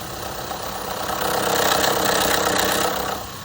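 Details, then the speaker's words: 2015 Honda CR-V 2.4L AWD idling cold: light metallic rattle about four a second near the valve cover; low, dirty oil from overdue changes, suspected to affect VVT solenoids, phasers or sprockets. "see see if it gets louder it's much louder now yeah like it's coming from inside yeah yeah quite the valve cover"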